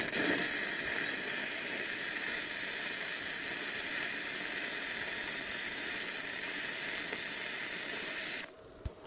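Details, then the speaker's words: Bestarc entry-level gasless flux-core MIG welder cranked to full 135 amps on a 20 amp circuit: loud steady crackling sizzle for about eight seconds, then abrupt stop as the breaker trips; weld burning very hot. "Ooh, that is burning in hot. All right, so that just popped that circuit. That's a 20 amp circuit."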